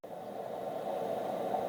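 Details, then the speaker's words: Tektronix RM564 vacuum-tube storage oscilloscope powered up: steady rushing whir with a midrange hiss and no knocks. The cooling fan is a little noisy and runs on for a very long time after shutoff. "the fan is a little noisy but I'll tell you when you shut this thing off that fan goes on and on and on and on for a very long time"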